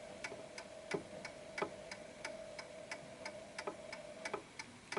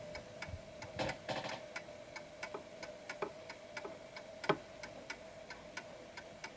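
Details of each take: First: Antique Westminster chime clock with crisp, evenly spaced ticks about three a second after being nudged slightly left to find its center of gravity. It had been ticking off-beat before; the pendulum clock is now running in beat. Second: Antique Westminster chime mantel clock ticking about three times a second with slightly uneven tick-tock because it doesn't sit at its center of gravity on the table; pendulum clock out of beat, needs repositioning.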